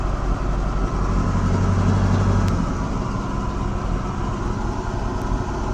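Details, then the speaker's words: 1971 Cutlass Supreme SX with 455 V8, sat for years, after new spark plug wires, battery cable and oil leak fix: steady, even low rumble at idle with no knocks or misses; passenger tailpipe smoking heavily. "are we on something over there that actually sounds really good"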